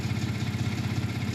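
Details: Ford 3.5 EcoBoost just after new turbos were installed. It started a little rough, then the computer apparently leveled it out to a steady, even idle with no knocking or whistling. The check engine light is on, possibly from catalytic converter oxygen sensors.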